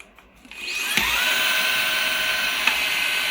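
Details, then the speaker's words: Perrysmith vacuum cleaner whose motor kept jamming and stopping from hair buildup, after cleaning, a drilled modification and the bearing adjusted back: the motor spins up from rest to a steady, very high whine with no stalling or rubbing, running fast. "pergi memang laju eh. Aku tak tahulah laju ni nak pergi mana vakum ni."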